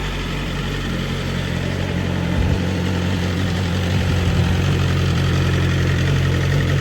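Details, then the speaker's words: BMW S1000RR with bodywork off, run on a makeshift setup without its own battery (threw a code): steady even idle, low rumble with light mechanical clatter from the exposed engine; normal. "and thinking about that noise that's normal especially with all the body work on them"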